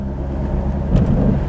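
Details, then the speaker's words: 2008 Ford Mustang Shelby GT500 supercharged, on the road: one dull low clunk over steady road rumble, also felt when shaking the steering wheel; front suspension clunk. "You can hear the clunking. Oh, there it went."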